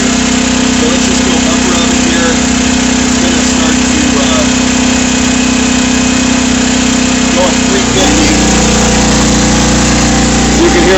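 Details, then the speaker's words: A 5,000 W generator powering a Whirlpool Gold double convection 30-inch wall oven, with only the upper oven tested on bake preheat: steady engine drone that drops and deepens as the oven elements pull load. "generator cycling on now okay so it's going through a preheat cycle right now"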